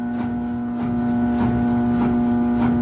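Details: Consul CWH 12 kg washing machine not spinning, guard removed: motor runs fine but transmission heavy; loud steady motor hum with dull pulsing about four times a second, drive labouring; clothing jammed under the basket.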